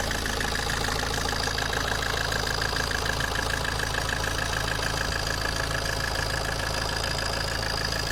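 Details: Alfa Romeo 159 JTD 150 hp diesel at idle: a steady idle with a light, fairly regular ticking on top. The owner questions whether the engine noise is normal, and the cause is undetermined.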